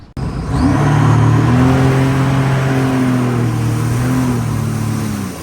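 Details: 2007 Sea-Doo RXT supercharged jet ski with a brand new prop, on a water test; loud rising whir with steady tones climbing as revs increase under load. Scored wear ring making the jet pump sound terrible; pump rebuild needed.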